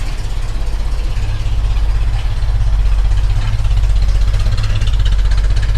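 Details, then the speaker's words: 1965 Mustang V8 with an Edelbrock carb, heard at the exhaust: lumpy, uneven loping idle with cylinders dropping out and the car shaking, clearing up once revs rise; suspected idle-circuit problem in the carb. "and it's sounding more like an old John Deere trctor than a than a Mustang so what we got to do is figure out what's going on so I have my I have my suspicions it's it's in we got an issue with the idal circuit because as soon as you bring the revs up it clears up"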